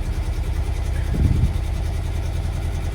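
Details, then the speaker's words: Classic Lancia Flavia under restoration, baseline start with the air cleaners removed before carburettor tuning with airflow meters. Uneven, lumpy idle with an irregular low thump and a brief stumble; the carburettors are out of tune. "I mean it's running but it's it's lumpy"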